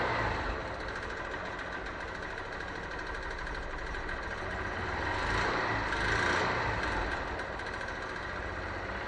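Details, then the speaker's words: Wrecked 2014 Honda CBF 125 single, said to need valve adjustment, first run after priming: fast, fairly regular light knock about three per second at idle; owner unsure if timing chain or piston pin rattle. "so what do you think do we have a timing chain rattle a piston pin rattle"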